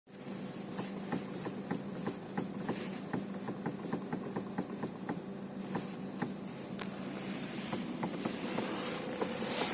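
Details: Renault Megane 3, parked: sharp, fairly regular clicks, a few per second, as the steering wheel is turned at standstill; steering knock, cause unconfirmed.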